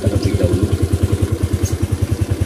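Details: Suzuki Nex automatic scooter that judders when throttle is reapplied after slowing from speed, CVT not yet opened: a deep rhythmic shudder, about nine pulses a second, over the engine; cause not yet identified.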